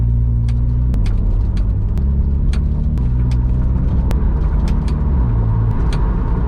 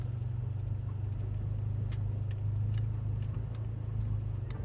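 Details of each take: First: Toyota GR86 while driving: road rumble with sharp, irregular taps about every second from the rear right (passenger-side) suspension; all bolts torqued to spec; owner suspects the aftermarket coilover's rear construction; suspension cover rattle. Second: Toyota GR86 after fixing a wheel-well rattle traced to a rubbing suspension cover, driving over a driveway bump that used to clunk: low steady engine hum, no clunk, only a few faint light clicks of unknown origin.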